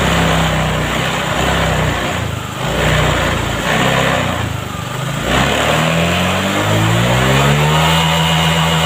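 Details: Vario 125 scooter that wouldn't take throttle, after the injection-service fix with readings set to 40: the engine blips up and drops back twice, then climbs smoothly and holds with no stumble or misfire; normal revving.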